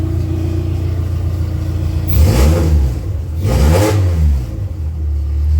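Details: Dodge Neon mini-stock race car, first run in about two years: deep note rises and falls smoothly through two throttle blips, clean with no clatter; everything seems good.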